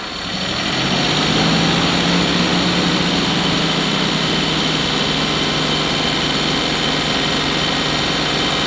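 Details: Suzuki Jimny JA12 after alternator replacement for abnormal noise and battery drain: engine catches and settles into smooth, steady idle with even hum, no knocks, whine or rattles; healthy.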